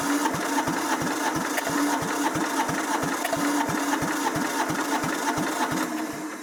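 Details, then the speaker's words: Diesel compactor that sat a couple of years. The tank gravity-feeds fuel fine but no fuel comes out of the pump. Even cranking strokes about three a second that never fire: crank, no start. "No fuel coming out of the pump. Interesting."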